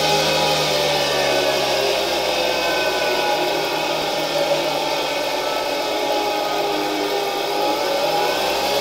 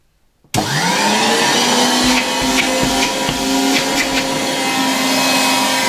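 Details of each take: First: SK-5 motor from a 1960 Alfa II vacuum cleaner under test: high steady whir climbing in pitch, with faint rough bearing hum and noisy turbine rush, slight old-motor noise but works; brushes to be replaced later. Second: 1960 Polish Alfa II vacuum cleaner plugged straight into the mains briefly, motor brushes very worn and due for replacement: motor spins up quickly to a steady, even high hum with strong airflow, no rattle or surging; normal running, good suction.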